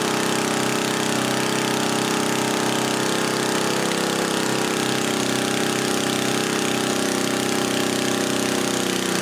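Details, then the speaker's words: 1977 Briggs & Stratton 3HP Model 8 water pump engine after new muffler and carburetor diaphragm (vapor locking from rusted muffler): steady, even drone near 3600 rpm, perhaps slightly high, no misses or knocks. Normal running. "it sounds like it's running just a little bit higher"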